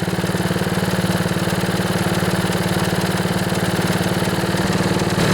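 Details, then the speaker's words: Honda HRB215 lawnmower after a carburetor cleaning, no rebuild, choke off and air filter removed: the small engine idles steadily with an even putter and no stalling. It previously started, then died, and ran only on choke. "All right, I just turned the choke off. We'll see if it'll idle. Yeah, that sounds pretty good."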